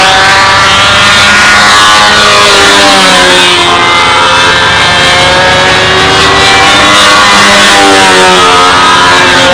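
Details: RC model airplane engine flying past, set very rich to get lap times right with this prop: high buzz rises and falls, note ragged and unsteady, rumbling and stumbling; over-rich mixture, prop pitch to be reduced.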